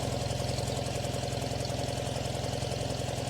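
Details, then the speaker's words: Farmall tractor at low idle with a slightly uneven, loping exhaust beat; temp gun readings show front and rear cylinders about 380, middle two about 280; owner suspects the middle two aren't running right, not confirmed. "So let's see, the front and the rear were the same at about 380, and the middle two were the same at about 280, which probably makes sense, but that could be that the middle two are the ones that aren't quite running right."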